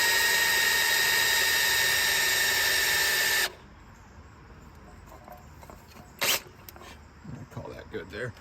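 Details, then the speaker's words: Freshly built 1970 Ford Falcon 302 small-block Ford, priming the oil pump with a drill before first start: a steady, even drill whine for about 3.5 seconds against strong oil-pressure resistance, then stops; normal priming. "definitely getting a lot of resistance on the drill right now crank it up to two and after it spins the harder it gets not just the battery there that's oil pressure on your battery in just here it's fighting right now it's fighting a ton of oil pressure"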